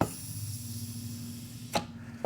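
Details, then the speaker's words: Air check of the 3rd-5th-reverse clutch on an automatic transmission that failed within 800 miles of purchase: a faint steady hiss from a tiny normal leak hole, then clunks. Pistons are not cracked. "Now you hear that little leak? That's normal, and I'm going to show you where."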